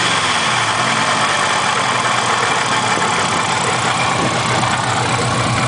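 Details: Engine at idle with a dull, rapid knock or rub ticking with engine speed; owner leans toward not rod knock and suspects something rubbing on the timing cover.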